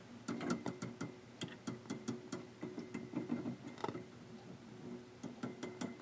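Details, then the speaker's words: Seeburg HFMA1 tube amplifier: tapping a valve sets off a hollow ringing tone in the speaker that fades after each knock; the tube still rings after checking, suspected microphonic, not confirmed. "the other problem i was having was that that tube was ringing and let's find out how we're still ringing nope so it looks like that tube may be microphonic"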